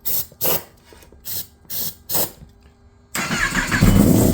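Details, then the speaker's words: 2018 Kawasaki ZX-10R rebuild: several short cranking bursts, then it catches and runs roughly for a moment on starter spray; fuel reaches the injectors but does not come out, and the injectors get only about 5 V when cranking. "kind of had it for a second but yeah that's uh that's the issue figured it out it's not getting fuel so now I just have to figure out why"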